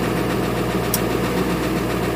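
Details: 2000 Ford Excursion 7.3 diesel with a hard cold start and glow plug and intake heater codes, idling after a cold start: lumpy, irregular clatter, with at least one and probably two cylinders misfiring. The engine is judged worn out and in need of engine work.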